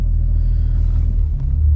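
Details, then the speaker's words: BMW N54 with swapped DCT and Mfactory single mass flywheel, stopped in drive: low, smooth rumble with no chatter or rattle; surprisingly little flywheel noise, quiet, healthy idle. "pretty impressed with the lack of noise from it"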